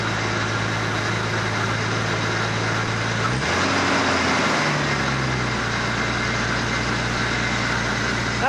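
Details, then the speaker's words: Nissan Skyline R33 GTS-T, newly rebuilt long block with new uprated parts and new belts, first start after the old engine blew: fast start-up idle quietens to a steady smooth beat, no knocks or rattles; normal idle. "Sounds alright this end. Yeah, it's got new belts on it, it's near Yeah."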